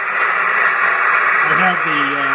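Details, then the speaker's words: Hammarlund HQ-170-A receiver during alignment, pulse noise made by making and breaking the antenna connection, noise blanker off: steady crackling hiss with a faint wandering tone; impulse noise swamps reception. "blanker off right now. Pretty easy to see how noisy that can be."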